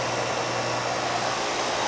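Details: Old R22 commercial AC condensing unit, clean, after fitting separate 80 and 10 capacitors: steady fan rush over constant low compressor hum, no rattles or surges, cooling well; running normally.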